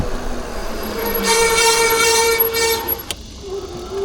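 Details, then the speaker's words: Eilleo SpaceWalk M7 electric bike before a brake pad change: the disc brake rotor gives a loud horn-like honk, a steady tone near 450 Hz with bright overtones. The fix is new brake pads. "You hear how that rotor is giving us the sound of a a horn."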